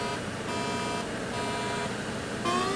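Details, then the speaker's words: 1983 Atari Crystal Castles arcade PCB run with a Fluke pod: repeating stepped tones of a bad power supply warning with no Fluke LED, traced to a bad socket. "But, I got a bad bad power supply warning and I got no LED on my fluke. So, I believe that we have a bad socket."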